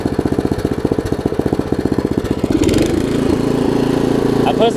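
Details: Craftsman 17-inch rear-tine tiller, 5hp horizontal Briggs, probably 90s, stored years with empty tank: after cleaning, new carb diaphragm and carb screw adjustment, even low idle thumps then smoother steady run; healthy, super small fuel leak.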